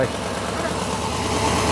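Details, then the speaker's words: 1987 Chevy square body small block V8, warm idle after fuel system cleaner treatment: a soft rhythmic puffing chuff runs under the steady rumble; owner suspects a leaking exhaust manifold or donut gasket on this side. "On this side you can hear it. I think it's the exhaust manifold is what I think it is on this side."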